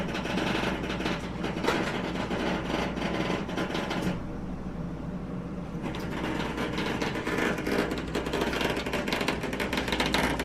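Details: Samsung range in self-clean mode: rough, gritty grinding that pauses, then resumes as the door lock motor fails to lock the door; a small faulty lock switch was found and needs replacing.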